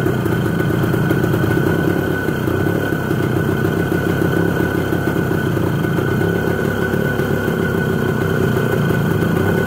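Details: ČZ 125/453 two-stroke, first start after engine overhaul: fast, even patter holding steady idle with no knocks or misses; running cleanly.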